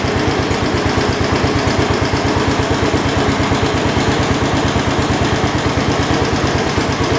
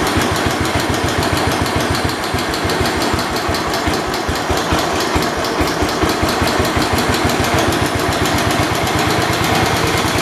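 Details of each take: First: 1972 Homelite T10 garden tractor, the 10th one built; even, steady firing pulse at relaxed idle with no knocks or misses; generator light on, not charging; engine sounds healthy. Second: 1972 Homelite T10 tractor small single-cylinder engine, refuelled and only running on choke: uneven heavy irregular chugging, sounding loaded and rich; owner suspects too much fuel and tries easing off the choke, not confirmed.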